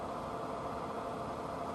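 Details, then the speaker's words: 42-year-old Suburban NT24M furnace running after rebuild, fixed by a small spring found on the ground once gas could reach it: steady even rushing hum of burner and blower, no surges, rattles or flutter; normal running. "There you go. It's amazing what happens when the thing can get gas to it."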